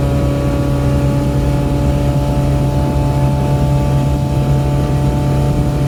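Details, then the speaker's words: Boat under way, mic behind windshield, after fixing missing upper exhaust bellows, bad gimbal bearing and frozen U-joints: steady low drone, even pitch, wind hiss over it, much quieter than before; normal running. "this thing is so much quieter it's like a prius compared to what it was before"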